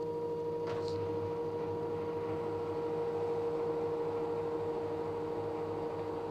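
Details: LG direct drive 6 kg F1058ND5 washing machine with a quiet, steady mid-pitched whine over a faint motor drone. Owner suspects the pump, not confirmed.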